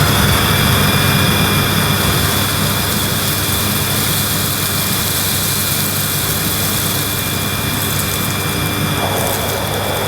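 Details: Panasonic MC-E862 bagged cylinder vacuum cleaning dirt on deep pile carpet: steady, even motor roar with a constant high whistle, no surging or rattle; relatively quiet, running healthily.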